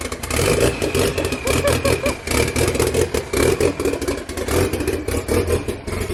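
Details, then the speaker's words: First start after FP Red turbo install, open downpipe (no downpipe fitted): loud raw bark with repeated rev blips rising and settling cleanly, no misses or rattles; sounds like a drag race car, healthy, no leaks. "Sounds like a drag race car. Yeah. That's how they should be."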